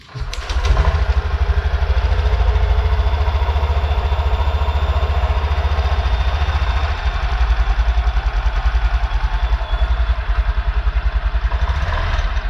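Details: Honda Beat/Vario/Genio-type injected scooter with a new resistor-type Brisk spark plug fitted, fuel pump primed: catches quickly and settles into a steady single-cylinder putter with even firing; runs healthy.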